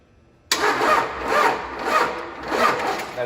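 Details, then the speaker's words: 1953 Mack A40 with swapped 24-valve 5.9 Cummins from a school bus, on jump pack: starter grinds slowly, even chug about twice a second, never catches; suspected insufficient power, not confirmed. "darn we need more power problem is that's a those are stud connectors and that's post I don't know if the mighty jump pack has a prayer at the moment"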